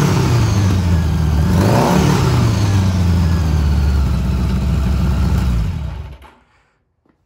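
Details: Honda Goldwing GL1000 cafe racer after carb rebuild, warm start, carbs not yet tuned; engine idles low and even, takes a quick throttle blip and settles back smoothly before shutting off; normal idle.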